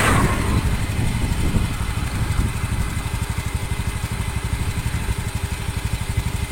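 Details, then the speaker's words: Honda Beat FI scooter that began misfiring (mbrebet) after a service, idling at a regular, even putter after a short blip, no stumbling; fault was bad O2 sensor readings affecting injection, now repaired and back to normal; fuel pump pressure good. "FI atau Beat Echo yang kemarin katanya habis servis terus berebut, sudah normal kembali."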